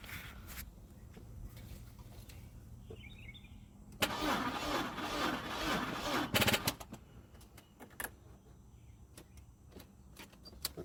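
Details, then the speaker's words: 2002 Audi A4 project car no-start, warning lights on, starting fluid tried: short burst of cranking for a couple of seconds that never catches; owner suspects battery not charged enough or a bad connection somewhere. "so you guys can hear the battery's still not charged enough that's where because these lights are one so something is not getting a connection somewhere"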